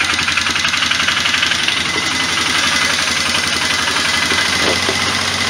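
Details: 1998 Polaris Big Boss ATV, 500 engine, original carburetor already cleaned, choke fully on; loud, uneven engine beat about four pulses a second with ragged edge; runs rough, stumbles when choke closed, only keeps going on choke.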